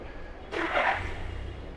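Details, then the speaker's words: VW Ameo petrol three-cylinder after repair of cylinder 1 injector circuit fault and misfire (P020100, P030100, EPC light): cranks, catches cleanly, settles to even idle, no DTCs, warning lights gone; normal start and idle. "देख रहे हैं तो कोई भी light नहीं है। सब कुछ एकदम चला गया। फर्स्ट क्लास हो गया गाड़ी।"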